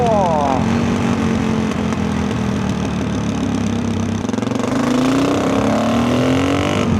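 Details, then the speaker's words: Rebuilt big-bore dual-sport single with tuned carburetor, 340 km since rebuild, riding on snowy trails: note climbs smoothly at nearly full throttle with no misfire or stumble; healthy engine, owner considers a bigger main jet. "W okay that was pretty much whole throttle and that thing rips"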